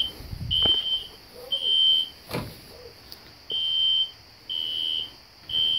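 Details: System Sensor SpectrAlert Classic horn strobe set on low volume, heard in background: shrill half-second horn blasts repeating roughly every second at modest volume; sounding normally.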